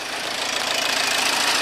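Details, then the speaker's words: HDI diesel after cleaning the EGR valve and intake, coolant topped up: strong rising whoosh and whistle as the turbo winds up and down, newly audible and working harder than before; normal turbo spool. "you can hear the turbo wind it up and down all right at least I hope it's supposed to sound like that it's certainly working a lot harder than it was before anyway"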